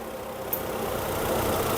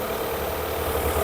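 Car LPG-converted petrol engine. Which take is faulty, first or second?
first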